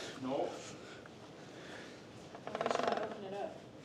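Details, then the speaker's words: 2019 Peterbilt 579 with Endurant transmission that threw codes and made noise on some downshifts, removed, parked in neutral: quick even ratchet-like clicks, about ten per second, as shaft turned by hand; internal source suspected, unconfirmed. "I could feel it too like I could feel it in here like one of them wheels that you spin with a little flapper yeah that's what it sounds"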